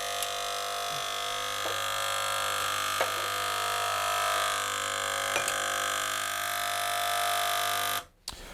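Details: Gaggia Cubika espresso machine, hot element, being primed by forcing water in with a syringe: loud steady buzzing pump drone for about eight seconds then cuts off as water begins to come through; loud pump noise.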